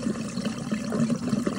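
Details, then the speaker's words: After refitting the Samsung dishwasher drain hose to flow straight down without a sagging bend, water gurgles and splashes steadily as it drains freely to the garbage disposal; no longer overflowing. "so you can hear the water gurgling but it's no longer coming out through the"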